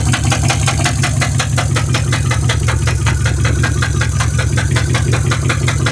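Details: Mercedes-Benz S550 W221 4Matic at idle: a light, fairly even tick about 160 times a minute rides over a steady idle; the source of the ticking noise is unclear.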